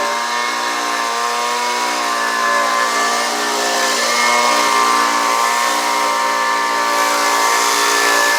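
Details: Homelite UT09250 two-stroke after carburetor replacement, warmed up after a one-pull start: steady high buzz with even pitch and slight lift when opened up; runs clean, though it could use a little tuning to wind out more.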